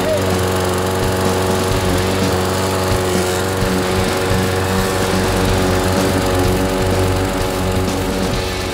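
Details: Toro Recycler 22-inch mower, Briggs & Stratton 7.25 hp engine, after being covered in oil and not starting: steady even single-cylinder drone, no misses or surging, running normally.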